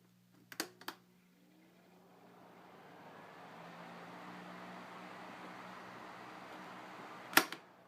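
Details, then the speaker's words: Vintage late-1970s Panasonic 12-inch oscillating desk fan, model F-1208C: switch clicks, then a soft hum rises smoothly as the motor spins up and holds steady, with no rattle or scraping; normal startup. "It's got a pretty nice startup sound."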